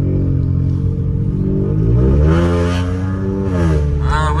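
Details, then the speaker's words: Ford Fiesta 1.0 driven at night, accelerating with automatic dual-clutch shifts: the engine note climbs under throttle, then drops cleanly as each gear engages with only a slight clunk. Normal gearshift. "masuk gear dia sedap guys. Ah, masuk gear dia memang best bunyi kan."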